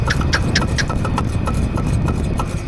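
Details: Irregular metallic clacks over the drive hum of an EZGO TXT golf cart, worse with speed, heard after replacing the motor and input shaft; pointing to loose rear wheel lug nuts.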